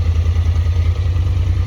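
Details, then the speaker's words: Honda Talon at idle after a ride, previously running rough with a suspected fuel issue: deep even idle, steady low pulse, no misses or clatter; completely back to normal. "it's running a lot better like it's completely back to normal now"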